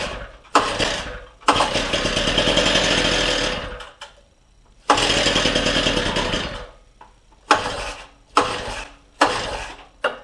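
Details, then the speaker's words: Rebuilt Stihl TS350 cut-off saw on first cold start after engine rebuild at minus 30, given lots of prime: repeated pull-start bursts of rapid chugging that die without catching; the saw is flooded. "I think I fluted her yep maybe I shouldn't give it so much sure I'll start you bastard it's flooded"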